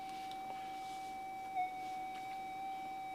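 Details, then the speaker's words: Modified Minelab GPX-4500 metal detector, manual tuning 80–100, enhanced/normal mode: steady faint threshold tone, no wobble or chatter; very quiet, stable threshold. "This is a modified GPX, and you can hear how quiet it is. It's very, very quiet."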